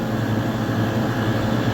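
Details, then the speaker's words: Newly installed, larger three-phase replacement compressor for a farm freezer unit, starting up. Steady, even low hum with no knocks or rattles, and frost is already building. Smooth startup; normal compressor running. "And she's off. So far so good. Oh, that sounded really good. That was a smooth startup."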